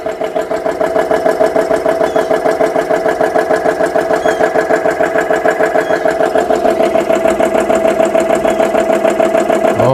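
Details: GX CS3 high-pressure compressor after repair, dead-head set to 4500 PSI, filling toward about 3,200 PSI: even rhythmic thumping at about three strokes a second over a steady hum, tone shifting as pressure builds; normal running.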